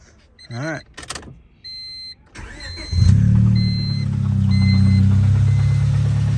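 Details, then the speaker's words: Car dropped off for an engine rebuild, all original, with a known rod knock: it cranks, catches and settles into a rough idle with a steady low knock about four a second; engine to be pulled and rebuilt. "definitely got a nod rocking a rod knocking with a nod rocking oh yeah she's knocking"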